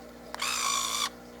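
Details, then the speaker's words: Nikon One Touch Zoom 70AF 35mm film camera with a weak battery, powered on: thin high-pitched zoom motor whine under a second, effortful buzz; motor straining on low battery. "that is, it sounds normal, sort of trying to make a little effort"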